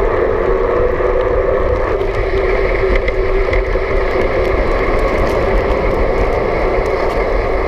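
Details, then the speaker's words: BULLS Lacuba EVO E8 e-bike, belt-driven mid-drive motor with Nexus 8-speed internal hub, lowest assist, pedaled fast while riding; faint steady electric whine rising slightly with pedal speed over wind and road hiss; normal mid-drive motor whine. "I'm gonna pedal fast so you can get a sense for that higher pitch sound and then I'm gonna arrow up to a higher level and climb a hill should be good"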